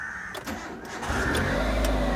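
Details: Flood-damaged car: short crank, engine fires cleanly at about one second and holds a steady, smooth idle; normal start.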